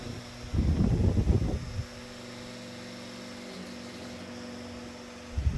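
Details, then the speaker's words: Late-1960s/early-1970s Westinghouse 12-inch oscillating table fan: steady low mains-pitch buzz drones from the running motor between handling bumps; motor sounds rough, cause unknown. "fricken motor sounds like crap definitely gonna be a shelf queen"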